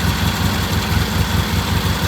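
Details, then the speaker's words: Vintage British motorcycle, first start after adjusting timing and carburetor and tightening a sticking throttle: steady, even low thump at idle with no knocks or misses; engine sounds healthy. "okay this is our first start we adjusted the timing adjusted the carburetor I'll talk to you about that sounds really good"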